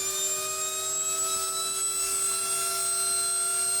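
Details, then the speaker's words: Babyliss Ipro2200 hair dryer motor after lengthy adjustment, tested on the bench out of the dryer: smooth, steady high-pitched whir with no wobble or rattle; the motor spins evenly and sounds healthy, normal motor run. "that try and try again until we can hear the good sound I think maybe it's enough enough of adjustment"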